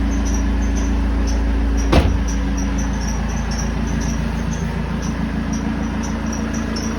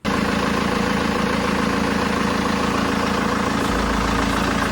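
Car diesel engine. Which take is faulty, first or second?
first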